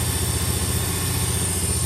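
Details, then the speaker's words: 1989 Suburban whose idle was set at 2200 rpm to compensate for an unplugged IAC valve and vacuum leaks: fast, steady hum with an even low pulse, idle far too high while being dialed back down. "I guess this thing had been so long with the IAC unplugged and messed up and vacuum leaks, but they had the idle set at 2200 in order for it to even run. So yeah, we are having to dial it way back down now."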